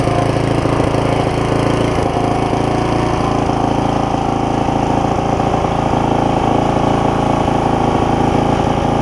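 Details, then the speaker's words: Barn-find tiller, bought 17 years ago and never used, on its first run after freeing the linkage, with oil full. Small single idles fairly evenly with an occasional faint stumble. "It even idles. Wow. I will let it sit here and run a little bit."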